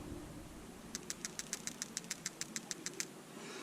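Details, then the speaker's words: New PCV valve (OEM 11810AA040) for a 2006 non-turbo Subaru Forester 2.5X, shaken by hand: about fourteen crisp clicks at roughly five per second from a free-moving plunger, unlike the old valve that barely rattled; normal PCV valve rattle. "that's what it's supposed to sound like and I'm glad that this one needed to be replaced"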